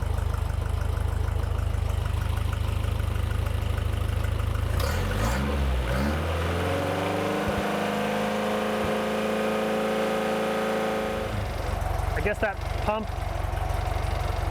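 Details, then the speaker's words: Toyota 22RE with new fuel system wouldn't start; new same-part-number pump (different brand) gave too little fuel pressure, so old pump refitted: engine catches after a few seconds, revs briefly, then settles to a steady even idle, starting normally. "They're the same part number, but it won't run with the way it was set up. So, I've put the old pump back in."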